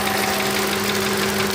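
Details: 2007 Ford Focus petrol engine at idle, noise starting after an engine wash: light, busy ticking over the hum; owner suspects the injectors, not confirmed.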